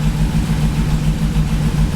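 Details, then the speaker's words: Cheap auction GMC Yukon V8 idling just after battery reconnect, with good oil pressure: deep, uneven stumbling idle pulse; feels like a slight misfire, maybe exhaust, though it starts first try and runs pretty good. "Feels like it's got a little bit of a misfire, maybe an exhaust"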